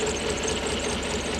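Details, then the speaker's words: Toyota 1UZ-FE V8 (Surf/4Runner) running on 4 cylinders, coil suspected before testing: uneven, loping idle with missing pulses; one bank dead. "The coil. we've got 4 cylinders is the problem. Right. Is the symptoms. So I suspect it's the coil."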